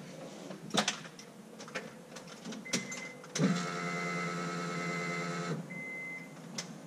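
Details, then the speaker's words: Turbo Honda Accord, new Walbro fuel pump installed with relay and thicker wiring for alternator voltage, key-on prime: steady electric whir for about two seconds, louder than factory pump, then stops cleanly; normal priming. "you guys will listen for it oh that's definitely much louder than the factory pump let me do it one more time"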